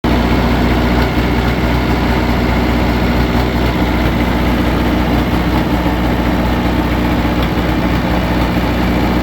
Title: Taylor / Perkins bad cylinder tons of oil blow by with popping sound